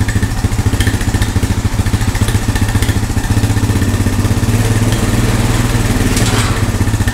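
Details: Honda four-wheeler found at a yard sale, revived with no parts after checking spark and compression and adding fuel: crisp, even single-cylinder thump at steady fast idle, no knocks or misses; clean and healthy.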